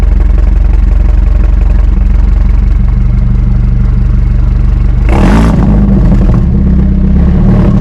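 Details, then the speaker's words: 2018 BMW 430i Gran Coupe F36, B48 four-cylinder with mods, warm engine: deep, steady, even idle with a loud exhaust and one quick rev blip that settles straight back; healthy. "Yeah man so right now that's what it sounds like um she sounds good man she sounds really really really good especially for a four banger I didn't expect to sound like that to be honest with you"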